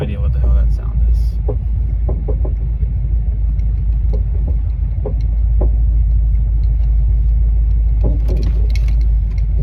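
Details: S550 Mustang with a Coyote engine while driving: heavy road rumble with scattered dull clunks knocking through from the rear at irregular moments. Source of the annoying rear clunk undetermined.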